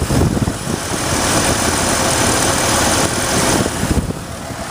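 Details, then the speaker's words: 1983 Lincoln Mk VI V8 with automatic transmission, microphone next to the engine: a steady, even idle with a smooth low rumble and no knocks or misses, despite some oil and coolant leaks. "ain't not a bad running vehicle at all so and there we have it"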